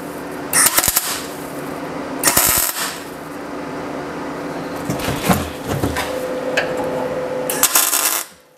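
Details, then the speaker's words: MIG tack welding on the new cab floor structure of a 1939 Hudson Terraplane rat rod, with the shielding gas not opened: harsh, irregular spitting and popping bursts instead of a smooth sizzle; welding without shielding gas. "fantastic do you hear that noise I didn't open the gas well done Duffy"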